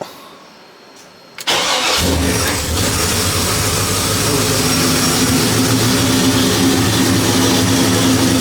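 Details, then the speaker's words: 1973 Impala 406 small-block Chevy V8 after replacing a collapsed lifter and fitting 2-piece guide plates on aluminum AFR heads, total timing about 36°. Brief crank, then it catches into a steady, quiet idle on all 8 cylinders. Not yet at full temperature, and no lifter tap so far. "So this thing sounded pretty good, firing on all 8 cylinders. So far, this thing nice and quiet up under the hood."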